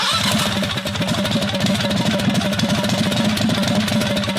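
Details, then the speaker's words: 670cc Predator V-twin go-kart engine revived after sitting a few months with carburetor problems; uneven, lumpy firing pulses settle into a steady, very loud idle; engine has caught and runs on its own. "I don't want to ride it anymore. It's way too loud."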